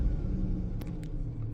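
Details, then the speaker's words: 2004 Chevy Silverado 4.3L V6 at idle with a low, lumpy rumble and uneven beat: misfire counts on cylinder 3, starting on 4; codes for random misfire, mass airflow, oxygen sensor and evap, with fuel trims pulling fuel. "all right so at the moment we only have M fires on cylinder 3 the RPM a bit starting to show some on four and three"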